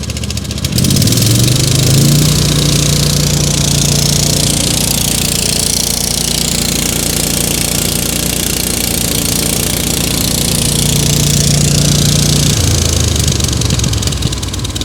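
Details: Wessex AF G2 flail mower towed behind a UTV, drive engaged and rotor spinning: engine pulls up to full revs and holds a firm, even drone under rotor load with no misses; normal working run.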